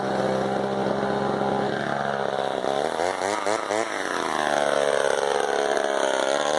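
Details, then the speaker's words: Small two-stroke chainsaw that had been sitting, just got running without repairs and held in a log. It idles steadily with a brief dip and rise in speed, a normal idle. "So, I mean, I'm going to stick it in this log here, let you guys listen to this beauty idle for a sec."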